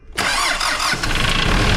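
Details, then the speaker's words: Kia Sorento with 2.5 L D4B diesel cranks, catches and idles with a light ticking running through it; suspected hydraulic lifter (valve gear) noise, not confirmed. "приехал к нам на ремонт Kia senta с Посторонним шумом в двигателе Сейчас будем разбираться что с ним"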